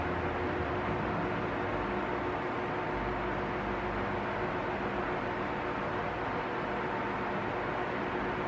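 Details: Arno Silence Force 40 cm fan, nearly two years old, on lowest speed: smooth even rush of air with faint steady hum, no rising or falling rattle; running normally.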